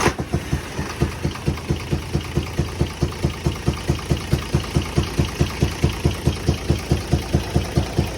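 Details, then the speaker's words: UD Nissan MK truck with a 6-cylinder 24-valve FE6 engine, heard at idle: a strong steady chuff-chuff comes mainly from the intake/air-filter side, blamed on a faulty camshaft and valve seals. "जिस तरह से मैंने आपको check करवा दिया है, इसमें आवाज़ जो है इनटेक की तरफ से ज़्यादा आ रही है, जो एयर जाली है उसकी तरफ से आवाज़ ज़्यादा आ रही है।"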